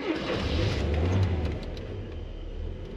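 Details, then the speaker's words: 1978 or 1979 Mazda 626 cold start from winter storage on choke: catches quickly and settles to about 1000 rpm idle, a steady, even low rumble with no misses or knocks, running fine. "it's working it's working fine yes nice running engine it's idling now at around 1000 RPM"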